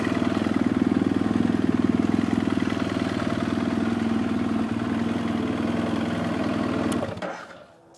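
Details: 2007 BMW F800S hot parallel-twin idling with a dull, regular knock about four per second, then shut off. Suspected piston slap; there is also a weeping head gasket.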